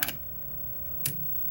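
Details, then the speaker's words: Mute relay in a 1969 Zenith Space Command remote-control TV chassis: two crisp clicks about a second apart as the relay pulls in and releases, driving a plunger and toggle switch; mute mechanism working properly. "So all this does is the relay just goes, pulses, activates and releases, and this little plunger and a switch, a toggle switch, is what controls the mute function."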